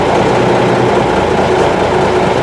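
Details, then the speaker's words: M925A1 Army truck diesel, rebuilt engine, first start after sitting 7 months, cold, no fast idle: loud, even idle with steady low beat, no knocks or rattles, some stumble and pop from air in fuel lines; healthy. "That wasn't bad at all. I mean, this thing hasn't been run for 7 months. Starting to build air pressure. I'm not going to kick up any fast idle. It doesn't need it. Just let her stumble and pop here for a while."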